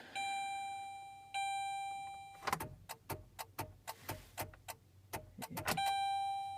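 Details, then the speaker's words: 2007 Saturn Ion cold start after months sitting: warning chime then quick irregular clicks, no cranking, from dead or weak battery; later fired right up with battery reinstalled, loose wiring suspected. "Yeah, we got a dead battery on the car. Enough to beep her, but not enough to crank it."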